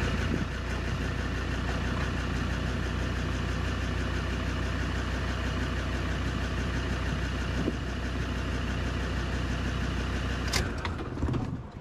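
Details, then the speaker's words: Land Rover Discovery 2 diesel after blower motor replacement: steady, even idle holding one pitch, no knocks, misses or hunting; engine running healthy. "or maybe maybe first we should just fire it up hey just make sure she actually starts what do you think peeps"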